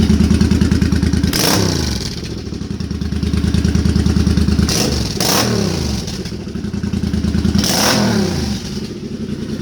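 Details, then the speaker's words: Suzuki Boulevard C50 V-twin, warm, after a new fuel injector and Cobra FI2000 fuel controller install: crisp throttle blips rise and settle cleanly over lumpy idle, no backfire pops on decel, which it used to do on downshifts. "and no backfiring normally when i done that it would i would have a pop or two during a down shift"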